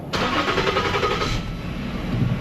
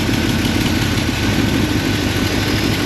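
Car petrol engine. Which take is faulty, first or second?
second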